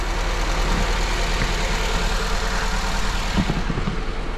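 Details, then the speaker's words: Honda with cylinder 2 misfiring: idle with an uneven, low, lumpy stumble about three times a second. Cylinder 2 compression drops to 5.5 bar versus 11 on cylinder 3. Misfire from low compression. "I spójrz, ciśnienie spadło do 5,5 bara. Silnik nie ma prawa pracować na tym cylindrze"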